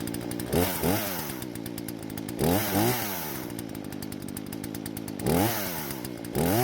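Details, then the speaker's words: Husqvarna chainsaw that wouldn't start, after carburetor screws reset: settles to a steady idle between crisp blips to high revs, picking up cleanly; running properly. "so it seems like the gamble paid off and the chainsaw is working just like it's supposed to now"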